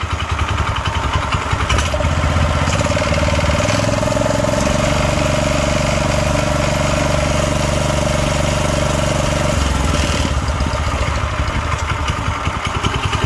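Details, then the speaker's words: Clone small single-cylinder engine in a vintage Heathkit Boonie Bike, run before an oil change: fires up and settles into a steady, even putter with no misses or knocks; normal idle. "all right let's see what happens now that's how a clone is supposed to sound"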